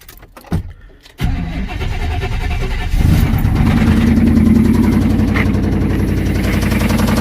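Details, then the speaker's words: 1990 Chevy Silverado engine with about 7,000 miles, suspected oil pump failure or low oil, started knocking and losing power while driving: cranks, catches and runs with a loud, uneven knock about three to four times a second; bottom-end knock, cause unclear. "Haven't driven in a while, and I think my oil pump went out, and maybe I was running low on oil for some reason, and the truck started knocking, losing power and everything."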